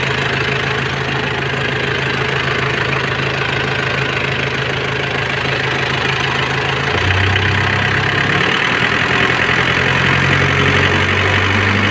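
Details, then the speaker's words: 1997 Nissan Big M pickup, BD25 2.5 L direct-injection four-cylinder diesel: steady clatter at idle with low, even drone and a slight drop around the middle; idles normally. "มาดูเครื่องยนต์สักหน่อยนะคะอันนี้เรื่องBDวงอะไรPowerนะคะวันนี้เออเมื่อเครื่องเดินเบาปกติเลยคันนี้"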